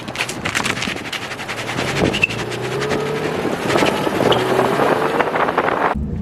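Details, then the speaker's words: Nissan 350Z with a used open diff welded and just installed, first drive: pulling slowly out of a parking spot, the rear tyres chatter rapidly and unevenly as they scrub in the turn from the locked welded diff. "So I did notice pulling out of the parking lot, or the parking spot I have, you get a little chatter."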